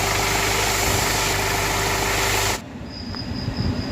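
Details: Hyundai Venue BS6 three-cylinder petrol engine idling smoothly and evenly with no stumble, after repair of a misfire on cylinder three that caused a check engine light and rpm not exceeding 3000.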